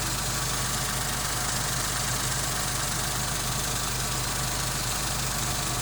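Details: Engine idling after replacing a faulty water pump that had caused rattling, grinding saw-like noise and overheating: quiet steady smooth hum, no rattle or grinding; engine now very quiet, almost unnoticeable.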